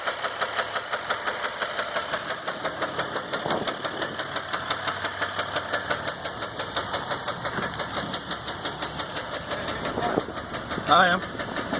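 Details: 2015 Dodge EcoDiesel with only 18k miles, knock began before second oil change, no check engine light, normal gauges and oil pressure, no power: heavy, regular knock a bit over once a second at idle; cause undiagnosed.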